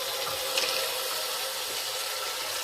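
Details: Newly installed Delta Portwood bathroom faucet, aerator just hand-tightened back in: smooth, steady water hiss with no sputtering, surging or whistling; normal faucet flow.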